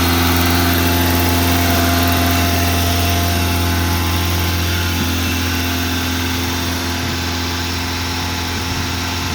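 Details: 1987 Honda Accord with 130k miles on a cold start. The fast idle won't kick off, so it holds around 2500-3000 rpm even at operating temperature. A steady, even engine drone held at raised speed with no drop-off.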